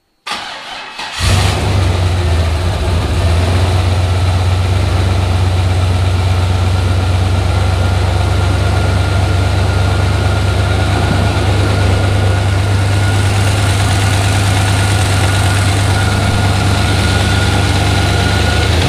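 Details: Junkyard-rebuilt turbo 5.3 LS V8 in an S-10 on its first start after a bent rod was replaced. It cranks, catches and settles to a steady idle with no knocking. Lifters were noisy at first; owner suspects slight cold piston slap.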